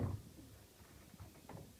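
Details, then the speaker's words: Entrance door closer after lubrication with EFELE UNI-S hybrid silicone grease, worked in by cycling the door: moves quietly with soft low thuds, the earlier squeak completely gone. "Как вы можете слышать, скрип абсолютно исчез."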